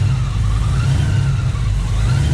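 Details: Engine with SRT Max Plus cam and newly installed 2.9 Whipple supercharger, after the install: smooth, deep, steady engine note with no chirp, rattle or squeal from the belt drive; earlier noise believed to be the tensioner.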